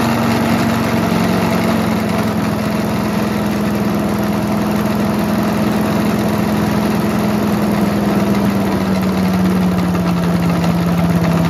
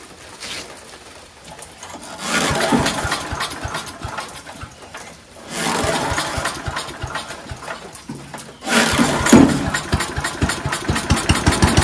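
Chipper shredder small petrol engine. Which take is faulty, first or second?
first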